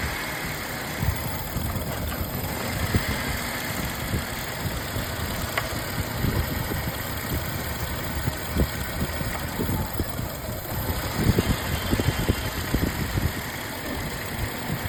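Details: Uneven idle with irregular thumps and stumbles breaking the steady engine note, pointing to an engine misfire at idle; cause not pinned down.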